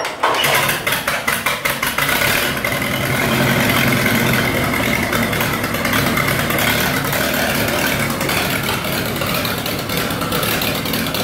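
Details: 1948 Lincoln SA-200 welder engine, unfueled for years, running off a rigged-up fuel supply with the carburetor back on and needing hard cranking: a few quick cranking chuffs, then it catches and settles into a steady, even run without misses. Normal start and idle.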